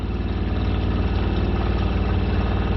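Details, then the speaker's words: Shurflo 4008-101-A65 RV water pump running water after it was reassembled, its housing having come apart from screws that vibrated loose (owner suspects they are too short). Low steady buzz with a rapid even pulse and no rattle or chatter, working properly. "well there you go ladies and gentlemen we have a properly working"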